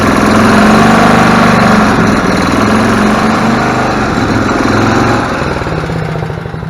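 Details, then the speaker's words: Club Car DS gas golf cart after carburetor cleaning: small single-cylinder engine chugging unevenly, speed rising and sagging, a mild surge; may clear with heat cycling or be a bad tank of gas, unconfirmed. "carb H still hear it surging a little bit we'll take it out for a ride see if we can't get that to clear up over some time over some heat heat cycling built up could just be a bad tank of gas too hard to say at this point"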